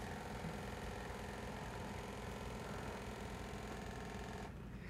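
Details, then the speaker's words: Heathkit Hero 1 robot in manual mode via the programming unit, after homing to its limits: quick light clicking, about three per second, over a soft motor hum. This is the wrist motor at its end limit and is normal. "that's done you can see the wrist is now clicking away I believe I have this already set it's at its limits"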